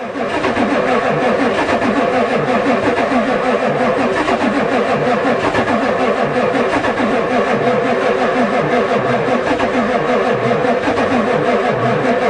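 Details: Ford diesel truck at +4 °C, cranking evenly over ten seconds on the two best batteries, never fires; the new glow plug controller never clicked, owner suspects it doesn't work.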